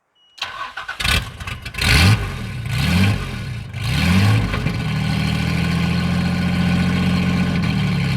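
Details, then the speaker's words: Car started with the battery connected and a bit of throttle given: it cranks a few seconds with stumbling catches, then fires and settles into a steady, loud idle. It starts and runs; it also has a power steering leak. "There she goes. It's loud. She sounds angry over this side."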